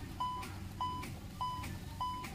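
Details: Hyundai Creta with battery running down while driving and not charging, belt fault suspected; four steady high-pitched beeps, one every 0.6 seconds, at ignition-on in a quiet cabin; warning chime with discharged battery.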